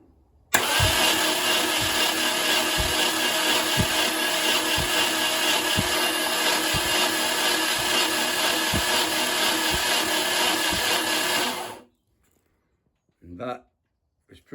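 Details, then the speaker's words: Mercruiser 470 3.7L marine engine unused 16 years, plugs out, starter wired directly to battery to prime oil: smooth even starter whir with regular low thumps, no binding or grinding; oil pressure then reached about 50 psi. "okay so like I say just winding over now I'm waiting that oil pressure gauge to come"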